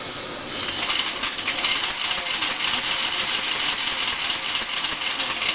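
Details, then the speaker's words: 1987 Dodge Daytona EV, EVTV Warp 9 DC motor spun free in neutral, parking brake on: dry gritty rattle and grind; owner guesses brush chunks or thrown balancing clay loose inside; car still drives, feels sluggish. "So, I don't know much, but I know that doesn't sound good. Um, ironically, the car still moves under its own power pretty well, but I'm guessing there's chunks of brushes or maybe it threw more uh balancing clay or something flying around in the motor making horrible noises."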